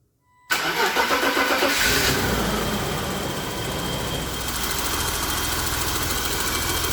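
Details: 1992 BMW 735iL six after fitting diesel E34 engine mounts to cure vibrations: cranks briefly, catches at once and settles into steady, even idle with no roughness; vibration much reduced.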